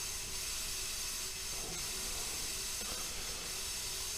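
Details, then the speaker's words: Car tire that keeps going low, with the leak not found by squirt bottle or hose: steady, sharp hiss of air escaping around the tire bead. "now to get this thing to leak the last time I had like 50 pounds in here to be able to see the leak"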